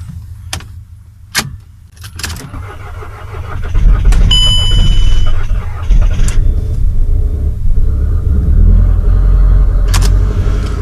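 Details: VW Passat in frost, with a frozen exhaust pipe, started after needing more cranking current than the booster gave: a cranking burst catches into a steady low rumble that holds even; the engine runs normally.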